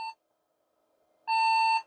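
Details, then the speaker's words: Custom 1990s–early 2000s retro PC at first power-up: a short beep, a pause, then one steady half-second high beep, a POST error; memory suspected. "And my feeling would be related to memory."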